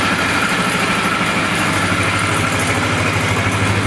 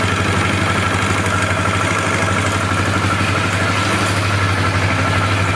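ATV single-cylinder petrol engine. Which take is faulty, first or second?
second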